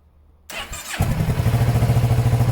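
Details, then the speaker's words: 2019 Kawasaki ER6/Z650 with an unknown engine history, first start, not in gear: a brief starter whir, then it catches and settles into a steady, even idle with no smoke; a normal start. "oh wow this amazing what a result engine sounds good no smoke"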